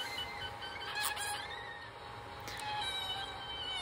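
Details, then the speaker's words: MicroSwiss Bowden Dual Gear Extruder on an Ender 5 Plus: high, wavering screech over a whirring stepper motor from misaligned drive gears; MicroSwiss's suggested fix made it quiet. "installed it the same way fired it up and well you can hear the screeching that's not good"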